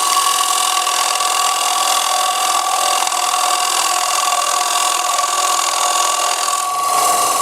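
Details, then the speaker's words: Wood lathe bowl turning with gouge: steady ringing, buzzy cutting tone with high whine; vibration from tool overhanging too far over the tool rest, needs adjustment before continuing. "spots hear that the vibrations tell me I'm too far over my tool rest I have to make some adjustments before I continue"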